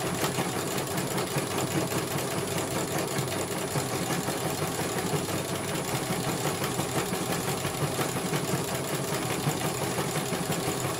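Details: Computerised CNY embroidery machine after service (motor had not turned due to a broken cable, now repaired), test-stitching a small design: steady, even rapid needle chatter with no knocks or grinding; stitching normally after repair.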